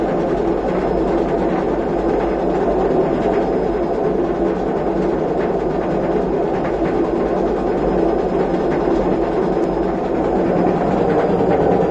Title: What a destroyed washing machine bearing looks and sounds like